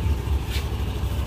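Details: Scooter idling after start, with the alternator charging at 14.6–14.7 V: small engine with a steady low putter and no knocks or rattles; alternator in good condition, runs normally.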